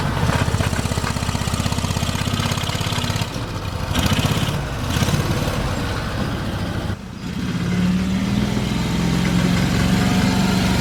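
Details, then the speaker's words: Argo engine idling with an uneven low clunk about four per second, attributed to a loose exhaust knocking against its mount. "all right so it still has a little bit of clunk but it's it's this exhaust"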